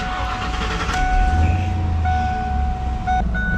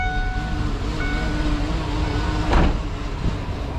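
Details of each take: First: 1995 Ford Mustang GT V8 idling smoothly once the SPOUT connector is pulled, after a recurring rough idle; points to a faulty PIP in the distributor controlling advance, so the distributor is replaced. IAC, TPS and PCV were already replaced. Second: 1995 Ford Mustang GT V8 rough idle returning after idle air control, throttle position sensor and PCV valve replacement; deep uneven rumble, owner determined the distributor was at fault and replaced it.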